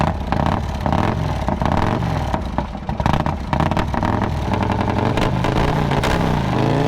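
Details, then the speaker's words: Harley with 9.8:1 compression engine that flooded and cranked too slowly, now started on jumper cables: big twin catches, revs rising and falling with throttle, lumpy uneven beat but holding on its own; running. "now we hooked up the jumper cables and as you can hear it's running"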